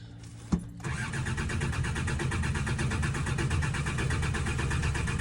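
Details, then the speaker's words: Farm vehicle that died while running, gargling to a halt: sharp click then steady rapid starter churning about three turns a second, never catching, fuel pump whining; no fuel arriving, owner suspects failed fuel pump, not filters. "no if it was filters you'd think it would try and start then con out again so I don't think it's filters no there's no fuel there at all"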